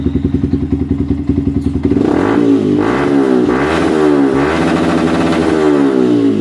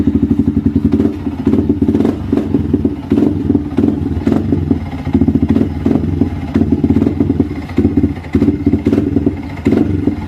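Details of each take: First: Yamaha Vixion running on an external fuel infusion rig bypassing its fuel pump: idles evenly, revs smoothly to limit with no sputter, pointing to the fuel pump (sensor IC or weak rotak) as cause of bogging. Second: Yamaha Vixion motorcycle bogging (ngempos) and sputtering when throttled, running lumpy with surges and stumbles. Fuel keeps flowing from the injector hose, so the fuel pump (rotak) is suspected.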